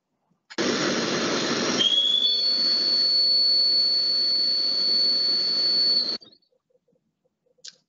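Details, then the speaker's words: Milling cutter in a thermal shrink-fit holder, which is stable and has low runout: a high steady whistle over the cut shows some cutter vibration; by comparison, a hydraulic holder reduces the vibration significantly. "que es lo que pasa que tenemos también un poco de vibración con nuestro cortador"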